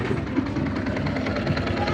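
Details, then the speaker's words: Yamaha Sniper 150 V1 idling after the clutch damper was replaced: steady even idle, soft low rumble, no helicopter-like chopping rattle with the clutch lever pulled or released; noise fixed. "same pa rin. Tahimik na, hindi katulad dati parang helicopter."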